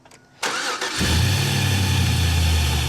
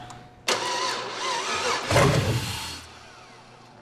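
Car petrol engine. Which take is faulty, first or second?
second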